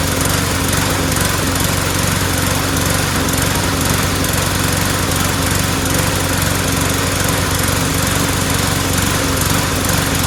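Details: Mower after fitting a replacement O-ring part: it runs at a steady clip with a wavering, sputtery beat. The owner suspects bad, cloudy, water-saturated gas mixed with two-stroke oil, not the carburetor, and will drain and refill with fresh gas.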